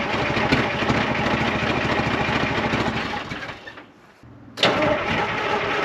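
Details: 1975 International Loadstar 1850 diesel, first start after the blower was fixed, idle setting unknown. It chugs unevenly, sags, dies near four seconds, then stumbles on; hard starting. Owner thinks it needs more oil and plans to check the fuel filters.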